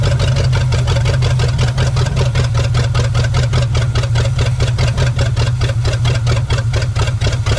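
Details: 1969 Pontiac Bonneville Safari station wagon, 428 V8, parked since 1981, run with starting fluid: loud, lumpy low idle with uneven chuffing beat while clearing out after heavy smoke; rough idle after long storage.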